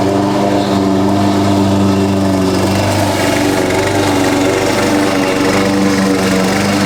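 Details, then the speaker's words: Husqvarna push mower that sat over 4 years, after a clean carb and correct oil level (Rotella T6): single-cylinder buzzing at a steady fast pace, no stumbling or surging; a loose blade suspected rattling underneath. "it works it runs a lot better with the correct amount of oil in it a good clean carb"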